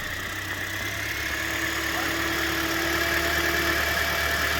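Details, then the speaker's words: 2012 Scion xD idling after the serpentine belt, which had fallen off, was refitted: smooth, even idle with steady hum, no belt screech or chirp; quiet, healthy engine. "It sounds like a nice, quiet, happy Toyota."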